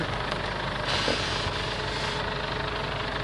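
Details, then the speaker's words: Ford Everest idling as the steering wheel is turned: faint steady whine, with the steering hard to turn, from a power steering pump running on very dirty fluid that needs replacing. "Kailangan na talagang palitan sa nakita ko ah yan lang ang problema na pinanggagalingan kaya matigas ipihit yung manibela niya tapos meron siyang ingay."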